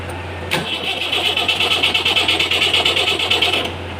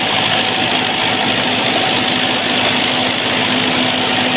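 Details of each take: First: Perkins diesel genset, hard start: starter turns the engine in even pulses, about three per second, but it never catches; relay in the control box suspected faulty. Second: Perkins diesel genset after a hard-start problem (relay suspected): settles into an even, steady idle with a constant hum and no misses or surging; running normally.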